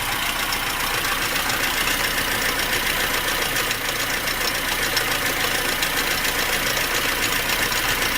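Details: VAZ petrol engine idling with alternator/water pump belt removed, knock still present: fast, clattering metallic knock from the front, traced to play in the auxiliary (oil pump drive) shaft pulley on bearings; pump ruled out.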